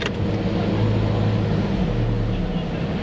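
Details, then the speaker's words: Jeep Cherokee idling in gear after engine mount work, smooth steady low rumble with no knocks, clunks or rattles; a slight vibration is felt in the steering wheel; normal idle. "Listen for weird vibrations and noises and rattles and stuff, but can feel a little bit in the steering wheel, but that's inherent to most of these Jeeps."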